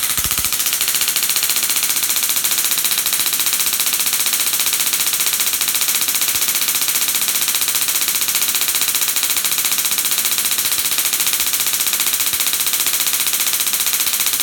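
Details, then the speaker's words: Dual RPS half reconfigured to about 100 kV with half the diodes flipped, Darson Bell configuration; sharp bright crackling snaps two or three per second as it charges and discharges; normal spark gap arcing; after shutoff, shorting the gap shows remnant charge. "so it'll run it charges up discharges starts making the noise after I shut it off though there's an interesting effect where if I short that gap there's power left in the system there"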